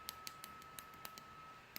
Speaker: hear that clicking nothing now I was messing around with this